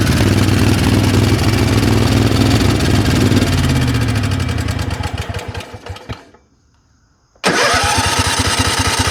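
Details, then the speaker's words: Craftsman 20 HP twin-cylinder riding mower that had no power and stalled under load: uneven, stumbling beat that sags and nearly dies before catching; missing on one cylinder, suspected spark or compression problem, possibly loose valve, not confirmed. "It sounds like you definitely have a spark problem. May have a compression problem."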